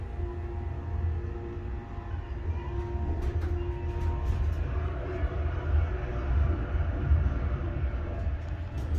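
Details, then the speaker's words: Schindler 300A hydraulic elevator serving two floors, improved after basement flooding and apparently fitted with a new motor starter: low steady pump motor rumble running the car up, no knocks or surging, a normal hydraulic run. "That, I think, is a new starter. I gotta hear that again."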